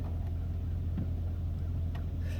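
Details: Old GMC truck, about 224,000 miles, idling after a cold 47°F morning start; low steady hum with even beat, no knocks or misses; engine idles smoothly and sounds healthy.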